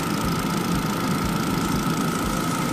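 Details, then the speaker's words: Volvo Ocean Race limited edition 2.5T petrol automatic, just started and warming up, timing chain recently replaced: smooth, even idle with steady hum and faint constant whine, no knocks or rattles; healthy engine. "Engine is running, so there is no rattling or any noise, as you can"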